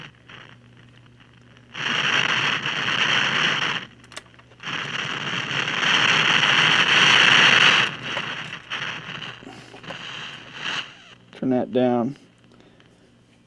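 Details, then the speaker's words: Mid-1960s General Electric vacuum-tube AM/FM table radio (hot chassis): bursts of harsh, thunderstorm-like crackling static that come and go. This is likely silver mica disease, with capacitors inside the IF cans going bad and arcing. "some of you might recognize that thunderstorm type sound well that's probably silver mica disease where the capacitors inside these cans go bad and kind of arc"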